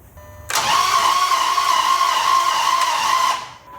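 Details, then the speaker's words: 2006 Dodge Charger no-start, cranking with a compression gauge in a spark plug hole: fast, even starter whir about three seconds long with no compression chuffing; gauge reads 0 PSI, faint thumping possibly heard. "Oh, that didn't sound good. Yeah, it didn't sound good at all. We have 0 PSI of compression here."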